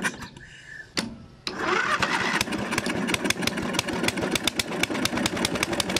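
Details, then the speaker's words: Briggs & Stratton 13 hp battery-start scrub mower, unused for years, after fresh fuel and cleaning a rusty, water-contaminated fuel bowl: a couple of coughs, then a steady, even putt-putt with no knocks or misses; runs okay. "oh wow guys sounds okay actually"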